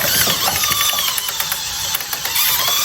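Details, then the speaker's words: VEX robot lift: quick regular ratchet clicks about five a second over light motor whine as the lift climbs; ratchet pawl engaging normally and holding with the program off. "you can hear the ret clicking and then here uh you here you want turn off the program on the remote so you can see but like it holds when we when we get out of the program it holds"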